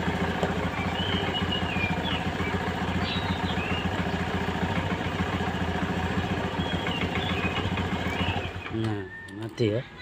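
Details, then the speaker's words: Honda Vario 110 FI that keeps draining its battery and died on the road: steady single-cylinder putter for eight seconds, then it sputters and stalls once the battery is disconnected; points to a charging system fault, stator or wiring suspected. "Nah sekarang Coba kita cabut akinya Apakah mati kalau mati Berarti pengisiannya ada bermasalah"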